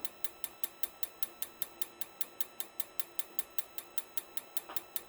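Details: RV propane water heater during a spark and lockout circuit test: sharp, even igniter ticks about 100 a minute, no burner catching, sparking on toward lockout.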